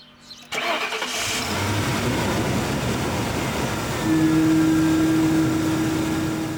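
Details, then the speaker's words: 1992 Lincoln Town Car limousine, long abandoned, connector pins possibly corroded: quick crank, then the engine catches and settles into a steady, even run with no misses or knocks; a normal start, working as original. "je pense que maintenant du coup bah elle fonctionne comme d'origine."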